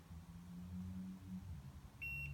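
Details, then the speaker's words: 2003 Ford Focus with 2.0L four-cylinder that stalls with misfire codes: engine rumbles in the background while the multimeter's continuity test beeps sharply and high across the vacuum solenoid coil, showing the coil has continuity. "now I'm gonna put this multimeter down but I'm gonna touch both these prongs right now you can hear if the multimeter has continuity"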